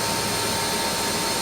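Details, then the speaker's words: Lathe partly stripped during an electronic leadscrew conversion, with the motor's cooling fan blowing air across it: spindle running at about 900 (estimated) with an even, steady whir and airy fan hiss, no knocks, grinding or surging; normal spindle running. "so a lot of that noise you can use there's a fan of the mains pad found behind this motor and it's blowing the cool air across it"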